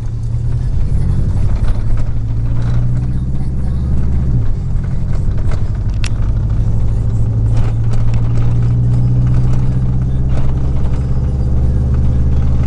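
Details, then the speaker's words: 2000 Chevy truck, 4.8 V8, four coils deliberately unplugged; deep lumpy uneven chuffing beat with shaking rhythm; misfire, running on four cylinders. "Truck sound a little bit different today. Don't know what it could be. Sounds like four of my cylinders quit"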